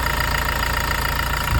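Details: Toyota Revo diesel, 50,000 km, after intake manifold cleaning and EGR blanking with pipe removed: steady low idle clatter, even rhythm, no misses, hunting or odd knocks; normal healthy diesel idle.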